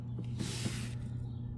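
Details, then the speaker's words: 1968 Sears Silvertone valve console stereo switched to radio while warming up: steady low hum throughout with a short hiss partway; hum source unknown. "Ooh. I hear it humming."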